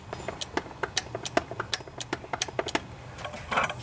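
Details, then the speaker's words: Cub Cadet LT1018 riding mower with Briggs & Stratton 18.5 hp Intek OHV single: sharp, distinct clicks each time the key is cycled to accessory, so the carburetor's anti-backfire solenoid is working properly. "see that tells us the the solenoid is working because you can hear that I'm turning the key on and off and you can hear it clicking so we know that components good"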